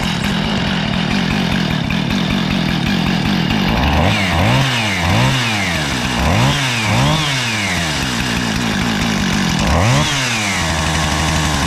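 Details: Husqvarna 455 Rancher two-stroke chainsaw, after carburetor and fuel line repair, cleaned air filter and new NGK BPMR7A plug (previously idled then died on throttle), fires, idles and takes repeated throttle blips, revving and dropping back cleanly without bogging.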